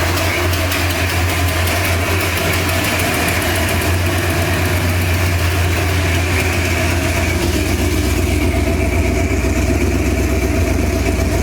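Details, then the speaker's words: 1968 Ford Torino V8 revived, first drive, something still up with the carburetor: deep idle with fast light ticking steady with idle; exhaust leak at front header from a header bolt needing tightening. "I got one exhaust leak over there on the header I got to fix."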